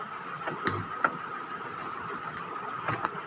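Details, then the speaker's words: Roland SP-606 sampler with faulty keypad, display light and internal wiring: steady high buzzing with hiss and faint clicks on all output jacks; audio output hum/buzz. "देखो हमिंग आ रही है ना, एक सरसराहट का साउंड आ रहा है, एक ये बजिंग साउंड आ रहा है ना,"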